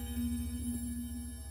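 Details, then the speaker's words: Post-WWII German clock, mostly aluminium: a single gong rod of the striking mechanism is struck and rings out with a clear, steady mid tone and bright overtones that fade slowly. The rods are tuned like piano strings, and the chime sounds normal. "it's a bit like uh the strings are in a piano but like gongs they all have a different length and they're all tuned for um different frequencies"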